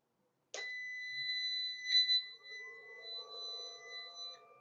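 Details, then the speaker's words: Solar inverter switched on from a connected battery, with solar input off and AC input not connected. Steady high beeps at switch-on, then the tones settle as it configures itself before the AC output comes up; normal start-up. "So, it's setting itself up. That's why you can hear the beeps."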